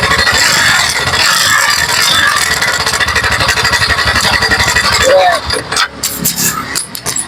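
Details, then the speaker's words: TVS NTORQ 125cc scooter (said as NRO BX4) at idle: heavy coarse tractor-like clatter about four beats a second; on teardown a loose one-way nut and the cam chain found, both to be repaired. "पूरा engine का sound पूरा tractor जैसा sound आ रहा है। ये sound मैं आपको बना के बताऊंगा दिखाऊंगा।"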